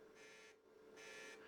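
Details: DIY test speaker on a car audio amp's front-channel speaker output, amp stripped to power and ground with a jumper and crossovers off; touching the RCA input gives two short raspy buzz bursts over a faint hum, so the channel passes signal.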